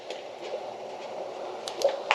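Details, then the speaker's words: 2005 Chevrolet Impala 3400 V6 after replacing the rack and pinion and power steering lines, engine off, wheel cycled lock to lock: soft gurgling hiss rising and falling like a toilet flushing as air bleeds out of the new rack. "You hear that air coming out? Sounds like a toilet flushing."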